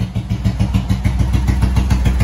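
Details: Motorcycle jump-started from a Milwaukee impact tool battery after choke, owner suspects kill switch trouble: steady even low thump about six pulses a second, no misses or knocks; runs pretty good, normal idle.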